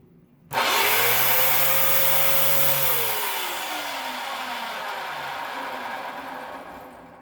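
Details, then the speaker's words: 2004 USA clutchless, belt-driven Dyson DC07 upright at switch-on: harsh roaring rush, tone sliding down as the motor settles, far louder than expected; brush roll shows no play, owner suspects play in the housing, unconfirmed; abnormally loud brush roll noise. "Oh, that is spicy. That is really loud. Oh, I don't know why it sounds that bad."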